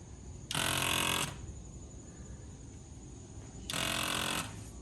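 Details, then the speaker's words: 1990 Corvette ZR1, ignition on and engine not started: electric vacuum pump buzzes under a second, stops, restarts about three seconds later; short cycling suggests a vacuum leak somewhere. Cause suspected, not confirmed. "that's the sound of the pump and it's actually cycling on it off which is a pretty telltale sign that there's a leak somewhere"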